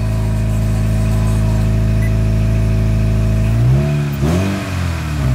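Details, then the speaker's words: 1995 Acura Integra with welded exhaust manifold, earlier high RPM and revving at idle: deep idle rumble then revs rise and dip with loud, raspy exhaust note; still kind of loud, source not pinned down. "okay let's see oh yeah it is kind of loud not gonna lie"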